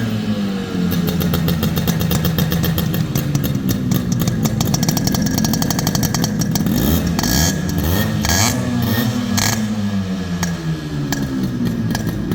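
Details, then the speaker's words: Fully restored Yamaha RX100 two-stroke: crisp popping that climbs cleanly with each throttle blip and settles back evenly; engine runs healthy. "இப்போ இந்த வண்டியோட beat sound கேக்குறேன்"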